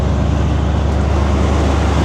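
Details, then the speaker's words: Square-body Chevy truck, GM Goodwrench 350 small-block crate motor with Edelbrock carburetor; deep, steady V8 rumble with even beat, no misses or knocks; runs really well. "I mean, seriously, it actually runs really well."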